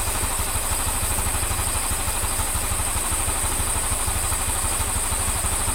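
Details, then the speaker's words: Honda Scoopy with a Genio engine after replacing the crankshaft bearing and connecting rod, plus valve seals and valve resurfacing: steady, even idle putter with a smooth low beat and no knock or rattle; the engine runs smooth again. "Untuk sekupi jenis mesin Genio ini saya nyatakan selesai, mesin sudah halus, hanya dilakukan penggantian di bagian laker kruk as, kemudian stang shaker, kemudian seal klep dan sekur ulang."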